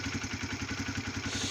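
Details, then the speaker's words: Honda CBR 125 (2004-2006) single started after an oil change and strainer cleaning, oil level checked, left idling in place: even tick-over about eleven beats a second, steady exhaust pulse, no knocks, rattles or misses; healthy normal idle. "tu peux lancer le moteur alors tu brusque pas vraiment au début tu laisses se lancer tout seul écoute bien si après des bruits suspects là tout se passe bien donc tu laisses tourné quelques temps sur place et puis"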